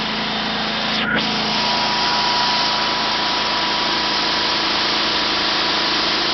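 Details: 1974 Sears Suburban SS/16 garden tractor, 16 hp opposed-twin Onan engine, out of gear at full throttle on temporary clean fuel tank: steady even high-pitched roar, runs well; owner notes it surges below about a third throttle.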